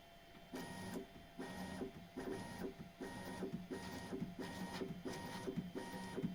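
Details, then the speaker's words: Bambu Lab X1 Carbon 3D printer after lubricating the bed belt tensioner roller: bursts of smooth stepper whirring as the bed travels, with the squeak practically gone. The belt was rubbing the roller edges, leaving rubber stuck to the roller. "Ну вот практически скрип исчез. А проблемы в этом месте."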